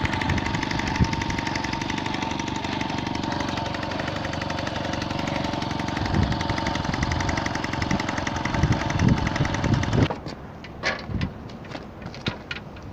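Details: Unidentified belt-drive Garelli moped, possibly Brianza, with M48/M56 Laura-type two-stroke engine, started using a drill: rough, uneven two-stroke rattle with raspy popping for about ten seconds before cutting out; visible exhaust leaks from all directions.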